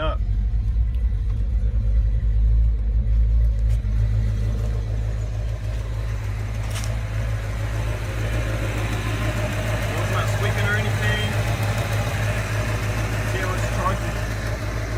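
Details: Fox Body Mustang, first start on a newly installed 130 amp alternator on a trimmed bracket with the stock belt, replacing a failed unit: a steady, even idle with a low rumble and no belt squeal or chirp.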